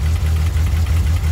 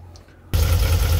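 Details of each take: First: VW Kombi with its spark plugs found to be fine, idling after warming up a little: a low, steady idle with an even beat and no missing pulses, all cylinders firing cleanly. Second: VW Kombi that sat for days in rain and misfired after starting: the engine catches and settles into a low, lumpy, uneven idle. A loose plug cable was tightened, which helped slightly. The spark plug cables are worn and leaking spark, with the third cylinder faulty; the cables need replacing.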